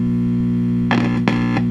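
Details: 1966 Fender Deluxe Reverb with intermittent hum plus crackling and buzzing after warm-up; loud steady low hum with brief crackly bursts, from a broken filter capacitor joint letting unfiltered ripple through the bias supply.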